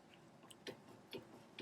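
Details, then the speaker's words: 2013 Toyota Camry, wheels off, front sway bar end link worked by hand: three sharp, light clicks about half a second apart; link busted open and loose, causing the clack-clack front-end clunk over bumps. "So every time you hit a bump, you're going to hear a loud noise. So these sway bar links are busted open completely."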